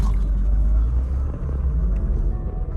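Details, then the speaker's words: Rover SD1 2600S creeping in reverse after new exhaust and exhaust rubbers fitted (previously knocked): low steady rumble, no knocks or clunks underneath; exhaust quiet on its mounts. "yep you can hear it no knocking sounds at all absolutely perfect"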